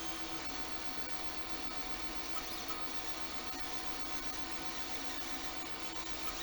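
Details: Anycubic Mega X 3D printer, bought broken with PCB smoke, printing a benchy: quiet steady motor hum with faint whines and soft rubbing, no clicks or grinding; drivers heard more than motion system, running normally.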